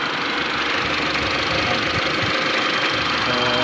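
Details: 2013 Mitsubishi L200 diesel, P0335 crank angle sensor no-start case: steady idle clatter with even beat, no misses or hunting; engine sounds healthy and settled.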